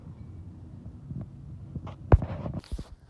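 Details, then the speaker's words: Newly installed spindle on a zero-turn mower deck after replacement: low, steady hum with light clunks and no grinding, rumble or knock, nearly silent versus the old spindle. Normal spindle running. "can you hear that here's the one I just put on can't even hear that"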